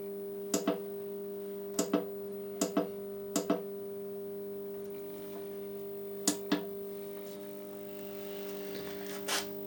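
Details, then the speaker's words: Solis grid solar inverter fed from a variac, after fixing Zettler relay contact pressure fault (starts but wouldn't run): steady low hum with a few sharp clicks; relay now makes proper contact and stays in, inverter running normally. "it made a proper contact and the machine went oh i made a proper contact so therefore i'll keep working but as previously it was a tenuous contact which she couldn't sustain that's it then it's working"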